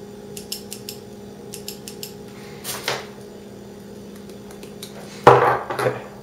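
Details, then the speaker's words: Junkyard 703 fuel injectors from a Plymouth Breeze, bench-tested for an XJ Cherokee swap before cleaning, pulsed from a motorcycle battery; crisp short clicks in quick bursts with each pulse over a quiet hum, injector opening normally. "now you connect the fuel injector you'll hear it click when you're pulsing it listen"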